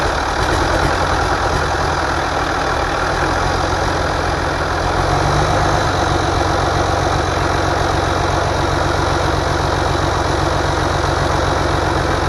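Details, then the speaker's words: International DT466 diesel loader engine after rebuild (had been knocking), test run outside before reinstalling in loader: steady even idle clatter, no knocking, rising slightly midway and holding smooth; normal idle. "but I think we're in good shape now so we're going to do another uh test run it on it outside and then get ready to haul it back up to the hills and put it in the machine"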